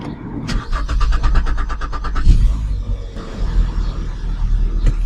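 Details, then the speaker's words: Kia Optima started after fuel pump replacement to check for gasoline leaks, fuel system emptied and low on gas; starter cranks evenly under two seconds, engine catches cleanly and settles to steady idle, check engine light on. "we're going to start the car to make sure we've really solved the problem, that there's no gasoline leaking, which is super important. Let's start the car for a moment."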